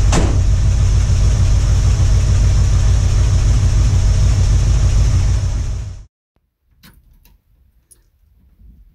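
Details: 1978 Ford Bronco V8, first start in about two years: loud, steady, even idle for about six seconds, then shut off. Owner says the earlier clatter is gone. Sounds healthy.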